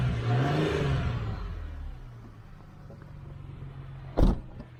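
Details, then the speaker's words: 2009 Ford Mustang V8 after the noisy AC compressor was dealt with: a brief rev, then a steady, deep idle with no power steering or belt accessory whine; the noise is thought to have been the compressor. "Okay, guys. It sounds good. I don't hear that power steering whining or nothing. Think it was all that compressor."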